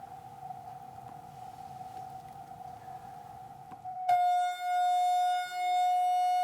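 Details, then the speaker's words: $100 NEMA23 180W 3000RPM easy servo on a lathe electronic leadscrew, stiffness raised above the default 11: quiet hum jumps to a loud, steady, piercing tone; resonant oscillation from excessive stiffness. "okay so that hit resonant feedback this thing to just be a lost cause but honestly for 99 bucks it works pretty well if you can use the default settings"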